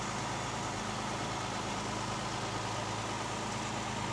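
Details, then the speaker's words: 1968 Mercedes 280 SL Pagoda, M130 inline six, after a new fuel filter: fires up quick, quiet soft even idle hum with no misses or knocks, no vibration, smooth as a sewing machine. "fires up quick and you can just see here how smooth this engine runs couldn't hear it probably wouldn't even know it was running [Music] no vibration just like a sewing machine as they say"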